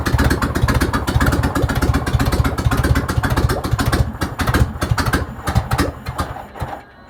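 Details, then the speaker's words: 1971 VW Beetle project, engine started with no exhaust fitted: loud, raw, uneven popping dying away after about six seconds; owner unsure if it sounds good, needs the exhaust on to judge the pistons. "You can hear the pistons going up and down, but there we are. Don't know if that sounds good or not. I need the exhaust on it to get a proper feel for the pistons and stuff."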